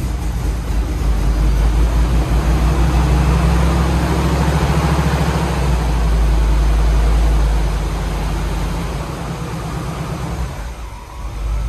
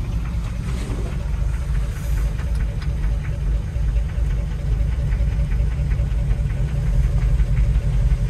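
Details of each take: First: C5 Corvette LS cold start before winter storage: deep, steady V8 rumble with an even lope and firm low end, settling smoothly. A healthy, normal cold start and idle. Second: C5 Corvette V8, cold idle before winter storage: steady low knock about three per second; owner unsure whether it is a flat-tappet cam, the transmission, or a cracked flexplate or loose bolts; present since purchase, not worsening, and it runs well.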